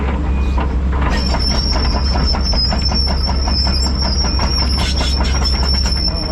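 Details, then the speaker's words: Cat D6 dozer moving: heavy diesel rumble with a sharp, repeating high squeal from the tracks. Undercarriage squeak, cause unclear. "might get old listen to that squeaking"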